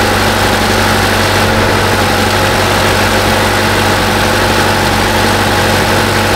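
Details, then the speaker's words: 2018 Chevrolet Trax 1.4 L turbo (LUV) idling after water pump replacement and coolant refill: smooth, even idle with a steady low hum and no squeal, knock or rattle; healthy. "they have folks water pump on your 2018 chevrolet with the big luv 1.4 liter turbo that's the sound they make"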